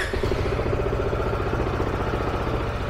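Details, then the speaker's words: Engine started briefly right after fresh oil fill during service: steady even idle with smooth low putter, no knocks or rattles; engine sound changed and quieter once oil reached it, slight noise from fuel pump. "evet bakın direkt değişti motorun sesi fark ettiniz mi ilk çalıştığı haliyle"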